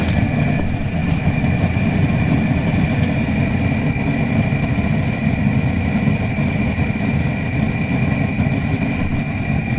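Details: Gas kiln during a stoneware firing, burners in and fan running: loud constant deep roar with steady fan whir on top, no sputter or pulsing; normal forced-air burner firing hard and evenly.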